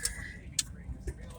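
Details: 1960 Chevy Biscayne with 3-speed manual transmission, running after sitting 31 years: turn signal flasher clicking crisply about every half second over a low idle; normal flasher.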